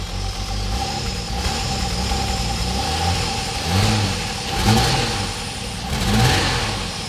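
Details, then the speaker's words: Holden VS Commodore ute V6 at idle and in gear: uneven running and stumbling blips, misfiring with unburnt fuel smell after injector swaps; cause found to be a badly worn, shredded camshaft. "You can hear it's missing. Put it in gear. Rubbish, man."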